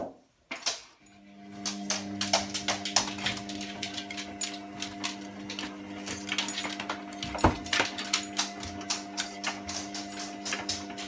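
Rapid irregular ticking and clicks over a steady low motor hum during the wash; the source of the clicking is unknown.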